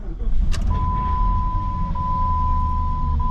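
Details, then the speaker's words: Jeep Grand Cherokee WJ Laredo 4.7 V8, 142,000 miles, first start after engine rebuild with machined heads: fires quickly and settles to smooth even idle, thin steady whine from power steering low on fluid after hydraulic fan removal; normal idle. "and it fired up very happily um running smoothly"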